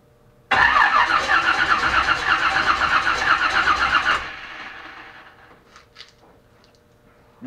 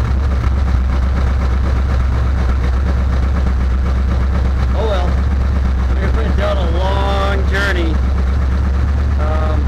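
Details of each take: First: Chevelle V8 after spark plugs were cleaned, sat unstarted for weeks since a Christmas parade: starter cranks steadily about four seconds without a catch or pop, then stops; no spark. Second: Chevelle after a no-start, spark plugs cleaned and a loose ignition module connector replaced with an original GM one: deep steady rumble, smooth even idle with no misses or stumbles; running properly.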